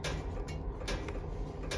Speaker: we hear that clicking that's the stove heating up